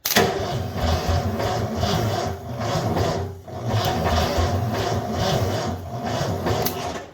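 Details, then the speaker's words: 1984 Ford F250 Bullnose with 460, all plugs and wires in, key on: starter cranks sluggishly in uneven surges that sag and drop out, no catch; positive and ground connections are poor; there isn't enough current while a replacement solenoid is awaited. "So, positive and ground are both very unhappy, which I'm not super surprised about because, well, neither of them have the best connection with the way that this is being done."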